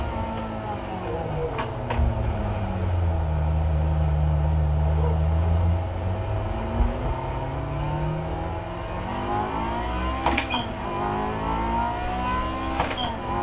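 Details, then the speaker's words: Manual-transmission car revved in neutral with no load, deliberately to redline to show what not to do: pitch climbs steeply to a high strained scream, then drops back; engine revved to redline, which can destroy the engine. "going to purposely redline my engine just to show you guys what not to do. That's another way, that's a way to destroy your engine."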